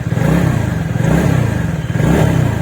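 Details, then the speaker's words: TVS NTORQ BS6 scooter engine after repair (valve, valve seal, crank and block kit replaced), started on key: small repeated revs up and down, pulling cleanly without knocks or rattles; engine sounds healthy, noise problem fixed. "Car शुरुआत हो चुकी है। और आप कर रहे हैं आवाज सुनना इसे लें। आप जो सुना है, कार आवाज एकदम सही है।"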